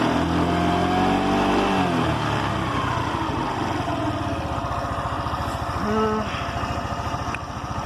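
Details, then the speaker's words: Motorcycle at medium-high speed: steady engine drone with fast buzzing rattle-like vibration persisting after tightening everything; owner suspects the two internal gears, source unclear; rattle at speed. "últimamente en la moto se escucha un ruido Como cascabeleo pero no sé qué sea"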